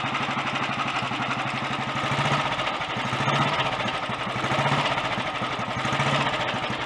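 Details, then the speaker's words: Early Redditch Royal Enfield 350 Bullet single idling after carb pilot jet cleaning, new oil pumps and head-nut tightening. Busy mechanical whirr and chatter over the beat comes from the magneto/dynamo gear train, not tappets; engine not clattery or knocky. "Most of that noise is from the gear train actually up to the dynamo and the magneto. The engine itself isn't clattery or knocky."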